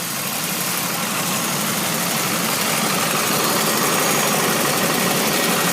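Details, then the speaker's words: 1999 Pontiac Grand Prix GT at idle: loud raspy hiss with quick steady puffing, exhaust leak where the loose soft pipe connects to the header, letting exhaust escape at that joint. "are kind of hard to get D for our soft pipe that connects to the header is loose so it's tossing the smoke to filtrate to there"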